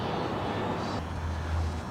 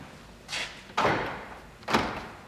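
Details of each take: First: 2001 Jeep Grand Cherokee door lock actuator (built into the door latch): a steady low electric buzz drones for about a second each time the lock cycles. Annoying noise when locking or unlocking; the lock actuator needs replacing. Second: 2001 Jeep Grand Cherokee after replacing the noisy door lock actuator (built into the latch): three quick, clean thunks as the lock cycles, with no buzzing or grinding. The new actuator works normally.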